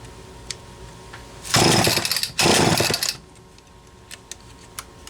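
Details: Homelite XL-12 chainsaw test run after replacing a failing condenser; a shop had blamed low compression (90 psi) for poor tuning and no rev. Two crisp full-throttle bursts rev cleanly and drop back; it now runs strong and healthy.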